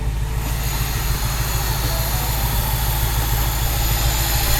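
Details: BMW E53 X5 4.8is, N62B48 V8 with electric DISA intake-runner motor, idling around 800 rpm after hard driving; steady low throb with uneven pulses and hissy top; rough idle, owner suspects failed DISA motor given months of DISA motor fault codes.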